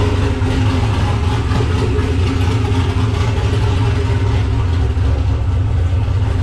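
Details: Nissan Patrol Y60/GQ SWB with a turbo LQ9 6.0 iron-block V8 (Camtech turbo cam, Holley Terminator X), dead cold after sitting two days, exhaust not yet complete. Loud, deep, lumpy big-cam idle with no misses or knocks, healthy.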